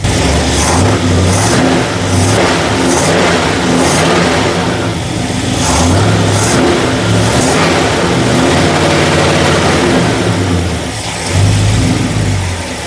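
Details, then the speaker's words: 1965 Ford Galaxie V8 just fired up after cam and lifter replacement: blips up and settles with a lazy, soft-edged note and dull rev response; owner thinks it still needs more ignition timing advance, timing light not yet used. "I need to get a timing light on it. It sounds like it still needs more timing in it."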